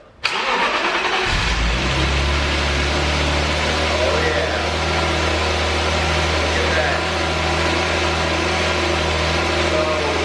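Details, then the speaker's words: Brief crank, then an idle that wavers up and down: BMW E34 525 restored after a blower motor fire, exhaust fitted; code 1262 idle speed actuator, a clogged idle control valve. "And basically when you have like a weird revving issue and the car is kind of fluctuating, you're basically looking at your ICV."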